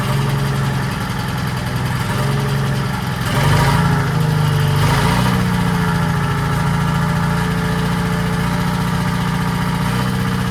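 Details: 1940s Allis Chalmers D5/HD5 crawler, two-stroke Detroit 271 diesel, first run after many years retired: rough low rumble with uneven beat and brief mid rev as it catches; smoky, owner suspects problem injector.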